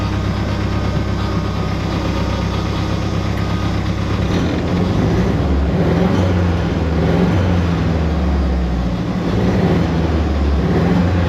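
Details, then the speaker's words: '88 Ford Festiva with 1.6 EcoBoost swap from Fiesta ST, idling while warming, fuel pressure about 80 psi: engine drone lifts and hangs instead of settling quickly; slow throttle/idle return, later traced to wiring fault. "I'm getting a really slow throttle response here. And I don't know why that is."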